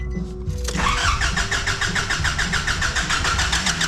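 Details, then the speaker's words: Nissan Patrol diesel after new injectors, seals, and fuel filter: steady fast cranking at about three compressions a second without firing; likely air in the fuel system after the filter change, priming needed. "on we're expecting this obviously we've changed the fuel filter let's double check i'll prime it a bit"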